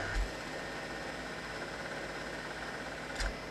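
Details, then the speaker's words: PDP-11/73 PLUS with newly added hard disk on SCSI controller: clicks at power-up, two sharp clicks about three seconds apart over steady fan hum; more clicking follows, cause unclear. "I will also listen on Startup to see if it sounds like it's starting up there's a word I'm gonna click so that's a good sign I would say"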